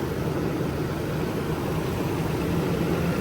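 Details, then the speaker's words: A petrol Nissan with a P0300 random misfire code idles with a steady low rumble. In a scan-tool cylinder deactivation test, each cylinder cut raises the idle, showing it fires normally. "okay you hear the idle goes up so that means they all fine"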